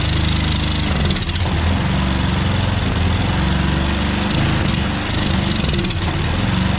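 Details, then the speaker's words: Pressure washer single-cylinder engine with automatic choke, run briefly without water. Uneven, slightly hunting note that won't pick up speed and runs only on choke; owner suspects a dirty carburetor, which is then taken apart. "never mind that's working right so it's needing choke to run which usually means the carburetor is dirty"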